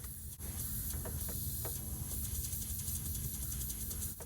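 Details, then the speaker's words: 2013 Fiat Abarth boost leak test with the engine off, after an NGEN intercooler install: a steady airy hiss from the boost gauge line, which was resting on the belt. "yeah so that little leak right there is coming from the boost gauge"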